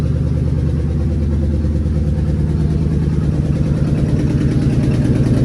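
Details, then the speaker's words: 2003 Ford Police Interceptor V8 after a Cal-Van insert kit repair of a misfire, run from cold with a low battery: a steady, low burble at idle pulsing evenly about three times a second with no stumble, no engine light. "okay I already sound a whole lot better well and I don't see an engine light"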